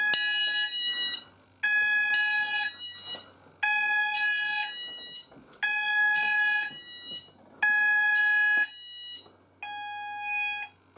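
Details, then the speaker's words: Apollo XPander house fire alarm system test 3, "sound group all" pressed at the panel so the landing and bedroom sounders go off together; shrill warbling tone in one-second bursts repeating every two seconds, sounders operating normally. "so i'll go ahead and um uh press all so we can hear all of them go off together so yeah let's go and press all so sound group all and it should all go off"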